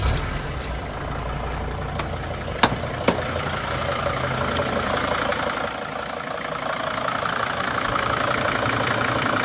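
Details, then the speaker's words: T1N Sprinter diesel at steady even idle after the failed harmonic balancer was reinstalled and the belt put back on; clicking and squeaking gone, only isolated handling knocks, safe to drive until the replacement balancer is fitted. "no more clicking and squeaking we don't have to worry about it wrecking something it's safe to drive like this until we get the replacement part ordered and put on"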